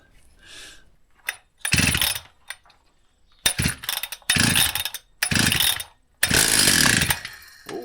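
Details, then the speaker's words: Free vintage Husqvarna 162 chainsaw after repair: starts readily, clean throttle bursts, drops back to idle without stumbling, pumping bar oil; healthy running, vibration mounts working well. "That sounds good. It's pumping oil out. So, all seems to be working well now."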